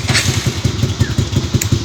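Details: Motorcycle engine, apparently rebuilt by the owner, at idle. A heavy, regular thump about six or seven times a second sits over the exhaust beat; strange engine noise, cause unclear.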